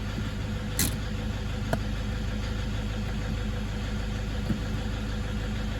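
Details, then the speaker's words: Toyota D-4D 1KD-FTV diesel at idle in Drive, foot on brake, injectors fitted about five years ago with low kilometres; steady low rumble with loud uneven clatter that barely changes in neutral, possibly from a faulty injector; owner suspects bad or contaminated fuel. "see that real clattery I put in neutral see if it stops didn't really stop but it's in neutral back in Drive hey you can hear that loud and clear there's a problem"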